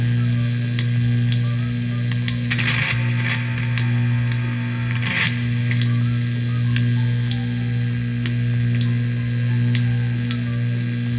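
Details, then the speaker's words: DOD FX7 pedal on overdrive, powered by a non-original unregulated transformer adapter: a loud, constant low mains buzz, clean on the clean setting; unregulated supply suspected, static blamed on a nearby electric fence. "i think the fault is the the power supply that they replace with it's a transformer power supply but it's not regulated so i think this is the problem"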